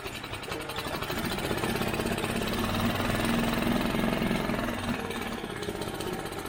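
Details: Barn-find Mercury 5 hp four-stroke outboard, long stored, oil almost dry, dirt dauber nest on carburetor, first start after pull-starting: ragged uneven chatter two to three beats a second, not settling; rough running after storage, cause unconfirmed.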